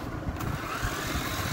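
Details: C88 toy drone held by hand: light buzzing whir from small motors at steady speed, no catches or rattles; motors spinning normally.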